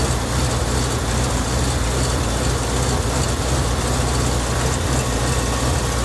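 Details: BMW E38 750i with M73TU B54 V12, cold start at +8 °C: deep, dense idle with uneven, lumpy pulse; engine shakes at idle but drives fine, diagnostics show random misfire in all cylinders, cause unknown.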